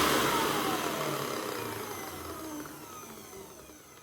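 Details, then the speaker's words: 1998 Sebo X1 upright vacuum after refitting the belt, run without the brushroll: motor whine falls smoothly as it coasts down with no grinding or bearing rumble, a bit quieter; normal motor running. "It's a bit quieter, isn't it?"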